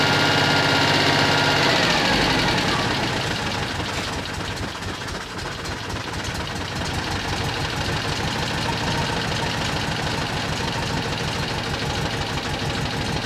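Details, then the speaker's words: Citroen 2CV flat-twin, 120 miles after engine overhaul, exhaust blowing at a clamp (soot marks) struck with a hammer: sharp puffing chuff fades into a calmer even idle; exhaust leak largely sealed. "Oh, that's definitely a bit better."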